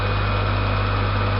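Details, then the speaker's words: Kosmos round-bed lathe with a 380 V motor run on 220 V AC through an 80 µF capacitor; the start phase is 1–2 s when the motor is cold. A smooth, even low hum with no knocking or rubbing: normal running, though it can be stopped by hand. "yeah it pulls L quite nicely however I can still stop it by hand so that's my uh Security on there"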